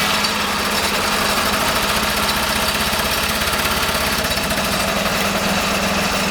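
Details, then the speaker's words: Kohler K301 12 hp single-cylinder engine, just reassembled with homemade gaskets, runs at a fast even idle with steady chatter and no misses; owner then suspects a bad fuel pump and fits a new one. "If it did or not, it sounded like it ran."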